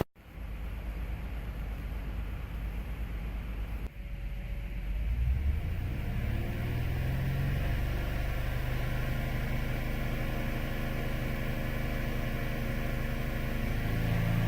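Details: 2007 Saturn Vue idle with codes P0304, P0300, P0302: low, uneven rumble with irregular stumble; plugs, coils, compression, fuel pressure and spark checked fine, misfire caused by a failed number four fuel injector.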